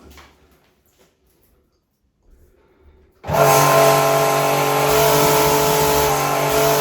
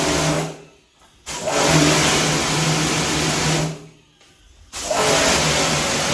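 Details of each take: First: Pumkin Chicaco pressure washer with no-pressure fault, mid-repair after valve work: motor runs on with a steady pump throb about four per second and never auto-stops. Pressure has improved but is not full, likely not reaching cut-off pressure. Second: Pumkin Chicaco high-pressure washer, originally with no pressure, tested after repair: motor and pump hum steadily with a strong spray hiss, cutting out twice between runs. Pressure is back strong and adjustable, and the unit works normally.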